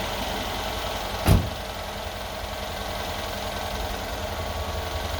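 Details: 2013 Mercedes SL550 at 42,000 miles, first start after an AMSOIL flush, a 9-quart 5W-40 synthetic oil change and PI fuel cleaner: a short starter catch, then a settled, even idle hum with no knocking or ticking; a healthy start.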